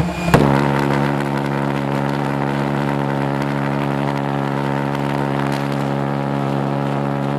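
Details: Homemade pulsejet on its third run attempt, with a new ignition circuit (new coil, HT lead, fixed condenser) and a tuned fuel rail: a sharp bang on lighting, then a steady loud low buzzing drone with no misses; running properly.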